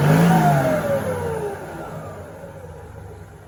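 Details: TF08 with a rebuilt H07D diesel, turbo, new injection pump and racing valve springs, 177, bled fuel system: revs up strongly with a smooth rising roar, then winds down evenly with no misses or knocks; healthy engine.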